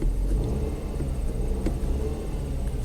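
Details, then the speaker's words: 2005 Mazda6 2.3, previously no-crank no-start junkyard car, briefly run to check engine codes: low, smooth, even idle rumble with no misses, knocks or ticks; normal idle. "I think you guys can see everything sounds good"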